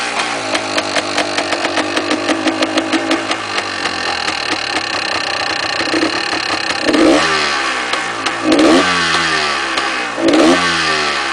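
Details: Yamaha DT400 two-stroke idling with a loose metallic rattle riding on the engine beat, still present through throttle blips; cause not yet known, engine to be opened later.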